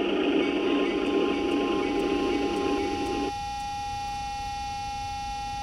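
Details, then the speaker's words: O-scale model diesel locomotive, fan-driven smoke unit: with engine sounds off, a loud steady high whine from the smoke unit fan, which still produces plenty of smoke; noisy smoke unit fan whine. "okay you can hear the nice sounds coming from the diesel but if you listen closely you can hear a really bad whining noise coming from the smoke unit"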